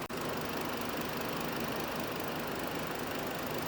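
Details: 2008 Hummer H3 with a misfire complaint: uneven, lumpy idle with an irregular stumble every few beats as one cylinder seems to drop out. A valve seat issue on cylinder 4 is suspected, not confirmed.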